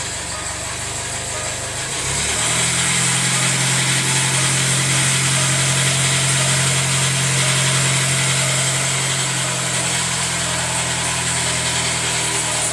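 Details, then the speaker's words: Jaguar F-Pace 204DTD diesel, self-rebuilt with used polished crank, engine mount just connected: catches after about two seconds, settles to loud steady run with harsh edge; rough, owner unsure if normal, suspects exhaust blowing or needs warming up. "not sure what to make of that really uh sounds rougher than I'd hoped I don't know what these sound like normally"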